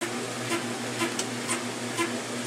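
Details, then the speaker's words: 1996 Maytag Dependable Care Plus washer, delicate cycle spinning a fleece blanket: sharp squeak about twice a second, in step with each drum rotation, over a steady hum as the unbalanced load shakes the tub, not yet going off balance. "can hear the washer literally squeaking, but it's still not going off balance."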